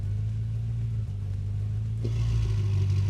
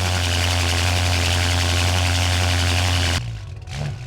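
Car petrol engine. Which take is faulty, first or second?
second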